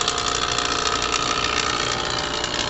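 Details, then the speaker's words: Refrigeration vacuum pump evacuating manifold and hoses before charging of White Westinghouse dehumidifier after Freon leak repair; system vacuum holding around 2,000: steady, even buzzing hum with bright hiss, no knocks or surging; pumping down normally. "And the vacuum pump is running, so we're evacuating the manifold and these hose lines now."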